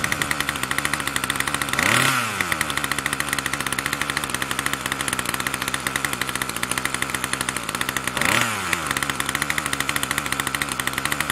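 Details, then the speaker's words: Troy-Bilt TB2MB two-stroke after a new short block is fitted, primed and choke on: holds a fast buzzy high idle that never drops low; the throttle cable never returns fully to rest. "see that uh never the cable never really gets all the way back to our nice rested position it's always kind of like yeah I never really the same problem"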